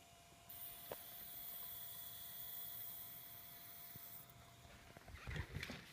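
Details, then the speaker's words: Steady high whine with hiss while a Sofia tube tester on a variac at 128 V runs fast-mode dual triode curves on plate and screen supply. Cuts off abruptly; source unknown. "I'm also getting some interesting noises on my stereo system while it's curving, and I will be recording these to let you hear them."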